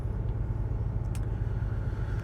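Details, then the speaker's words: Range Rover V8 idling after switching back from LPG to petrol: deep, steady rumble with no stumbles or skipped beats; the misfire on cylinders eight and four stopped on petrol, normal idle, before plugs and leads are replaced. "I'll turn back over to petrol misfire has stopped"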